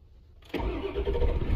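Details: 1999 Ford F-250 7.3 Power Stroke diesel after repairs, previously cutting off after about 10 minutes, now building high-pressure oil faster: quiet, then it catches abruptly and settles into a steady low idle without stumbling; clean start.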